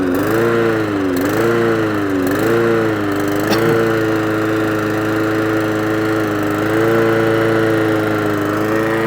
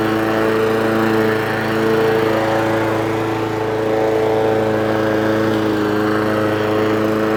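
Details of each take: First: Old Mountfield lawnmower petrol engine after re-choking: idle surges and hunts, pitch rising and falling, shuts off if throttled down too far; carburetor fault, carburetor to be removed. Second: Old Mountfield mower with Honda engine after full service, running off choke, possibly not fully warm: steady, even single-cylinder drone at constant pitch with no misses or surging; pulls strongly; running cleanly and healthy.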